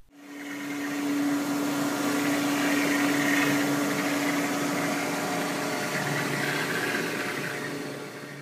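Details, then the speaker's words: Centrifugal pump running at full speed, valve wide open, 226 gallons per minute, motor drawing about 2.25 kW; oversized pump cavitates, giving a loud crackling, gravelly hiss over steady motor hum, which can cause long-term damage. "in addition because this pump is oversized for the load you can hear and see cavitation which can cause long-term damage to the"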